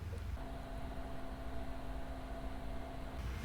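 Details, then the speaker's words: ID-Cooling Space SL360 AIO liquid cooler pump running at its fixed full speed with the fans unplugged, system back at idle after Cinebench, mic about 40 cm away: soft steady low hum with a faint higher tone, no rattle or gurgle; normal operation. "now as follow the pump noise the pump is always at full"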